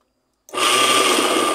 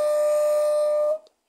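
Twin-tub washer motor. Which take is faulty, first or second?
second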